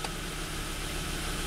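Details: Volvo wagon after crank/no-start repairs, restarted with fuel pressure held at 55 PSI at 50% pump duty cycle: a steady, even low rumble with no knocks, misses or hunting, settling into a smooth, healthy idle.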